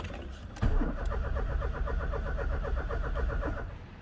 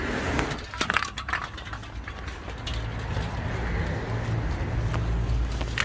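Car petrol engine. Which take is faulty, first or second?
second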